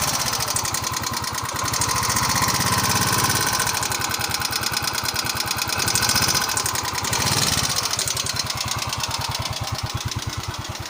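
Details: Yamaha Mio scooter engine idling with a quick, steady metallic valve ticking riding over the exhaust note.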